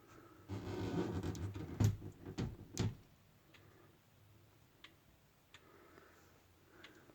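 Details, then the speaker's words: Howard Miller 612-600 wall clock with a 159 movement: faint ticks about once a second with tick and tock unevenly spaced, so the pendulum clock is out of beat and the beat still needs adjusting. "And as you can hear, the beat is a little bit off. I have to find out how to adjust the beat."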